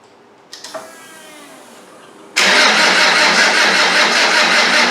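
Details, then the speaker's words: Land Rover 300Tdi diesel, freshly rebuilt, briefly charged battery, injectors tightened, diesel through: slow cranking under full compression, then sudden catch into steady even clatter, no misses, burning off excess smoke; turbo hose not fitted. "Burning off a bit of excess smoke there. That's interesting, isn't it?"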